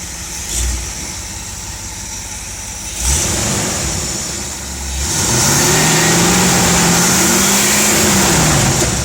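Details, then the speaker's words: 1971 Dodge Pace Arrow 318 V8 after Pertronix Ignitor and coil install, not a fully cold start: even idle, smooth rev up and back, no misfire, stumble or popping; healthy. "sounds pretty good to me and we had it running just a little while ago so this isn't a completely cold start nor did I just fire it up and rev It On a completely cold engine"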